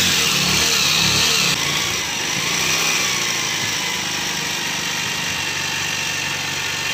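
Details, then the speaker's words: Bajaj Pulsar 150 DTSI motorcycle: engine runs with a busy, tinny rattle over the exhaust at idle and when revved; owner dislikes the sound, earlier repairs at other shops failed, cause not yet pinned down. "झर झर र झर कर रहा है तो इनको यह sound पसंद नहीं है"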